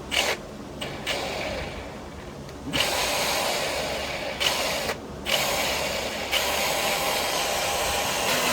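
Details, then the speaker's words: Milwaukee M18 FSAGV100XB 18V variable-speed grinder after bearing replacement, tested on original battery at lowest speed: harsh, gritty rasping whirr, far too loud; replacement bearing unsuitable. "Das geht nicht! Das Geräusch ist zu laut. Dies repräsentiert, Lager sind nicht geeignet."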